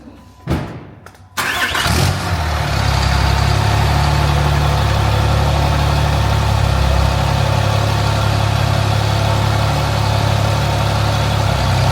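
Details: 800HP compound-turbo shop truck after final turbo install, oil leak thought repaired, sound test: fires after short crank, settles into steady even idle with no hiss or whistle from a boost leak.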